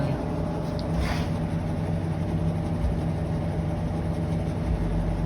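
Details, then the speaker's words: Whirlpool washing machine after repair of a noise caused by water leakage: smooth, low, even hum during the spin with no knocking, rumbling or grinding; normal quiet spin cycle. "Listo ya quedó bien serenita pero la lavadora"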